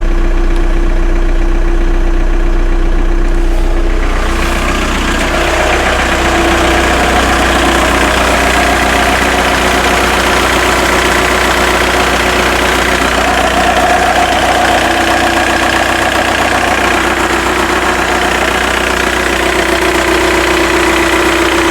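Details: Skoda Octavia 1.9 TDI ALH tuned to about 165 bhp, warm at 50°C: diesel idles with steady clatter plus a faint rhythmic knock and whirring tone; alternator bearings, pulley, clutch and timing belt already replaced, cause unclear.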